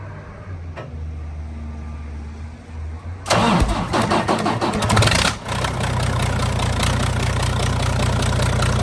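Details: Freightliner Cascadia DD15 diesel burning oil (about 1 gallon a day) after a cylinder head replacement elsewhere, with modifications; exhaust manifold, turbo and aux turbine removed. Starter whirs, then a loud, raw, rapid chuffing bark from open ports. Oil is pushing out of the number 3 exhaust port.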